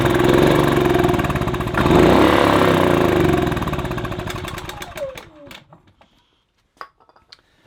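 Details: Kipor Sinemaster IG2600 digital generator, stored in a garage for years, on starting spray: fires and runs briefly with a rapid even beat, then fades and dies once spray is used up; owner suspects a blockage in the fuel pipe or carburetor.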